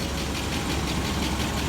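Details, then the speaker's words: 1996 GMC 1500 V8, barely run since 2016, idling after start: light fast ticking over an uneven idle, owner thinks the tick got a little worse; smoking slightly, tick cause unknown. "I think the tick got a little worse. Oh yeah."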